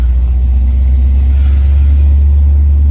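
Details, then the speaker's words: Vehicle driving after its driveline was rebuilt following a breakdown with a rattle and suspected universal joint problem; deep, steady rumble under way, former shakes and rattles gone, running much smoother. "a lot of like shakes and rattles that we used to have are now gone Frankies run in so much smoother so excited"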